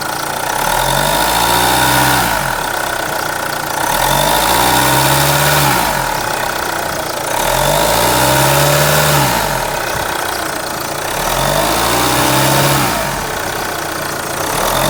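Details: B20DTH diesel, sound under the bonnet: idles evenly, but a deep drone rises and falls in slow waves about every two seconds; source unclear.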